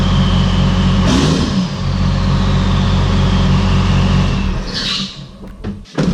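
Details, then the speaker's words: Diesel truck after new lines fitted, starting right up: steady even low clatter about four pulses a second, no misses or knocks; earlier odd cranking thought to be air in the new lines. "But basically, I went out and started up this time, and it took right off like nothing. So cool. Sounds good. Sounds really good."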